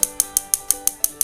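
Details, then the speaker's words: Sugo infrared gas stove under repair for being totally dead: igniter wired to a battery and the igniter module's negative terminal, igniter hidden inside, gives crisp evenly spaced ticks about six per second with nothing behind them; normal igniter clicking. "Oke, di situ bisa kita dengar ada bunyi tik tik tik tik, itu adalah bunyi pemantik."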